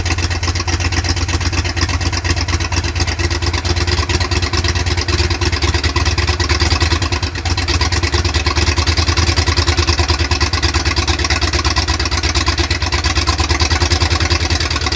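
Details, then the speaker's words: 1951 Ford F-100 flathead V8, first start in 30 years, running on spray fuel: a loud, steady, low thrumming with even pulses and no knocks or misses. Runs cleanly. "better quitter there yeah no press on in here that's pretty damn good though I got her running I told you I'd get that [Music] [Music] running n"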